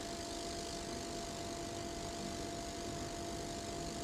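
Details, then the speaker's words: 3mm Corflute insulation test driven by an 11 kV neon sign transformer via variac, about 200 V in giving near 10 kV out: steady faint hiss and hum, capacitive coupling, no arcing through the plastic. "i don't know if the camera's picking up the sound there it's you definitely get capacitive coupling at this point but no actual arcing which is what i'm worried about"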